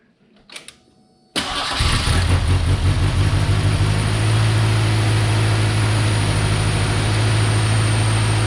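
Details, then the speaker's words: 1990 Ford Ranger with a reman long block after a warranty-requested fix: starts after a few cranks into an uneven, hunting, lumpy idle; the PCV vacuum line under the throttle body had been left off, a massive vacuum leak. "I had forgotten the vacuum line for the PCB off the bottom of the throttle body so it had a massive vacuum leak so let's see how it runs now"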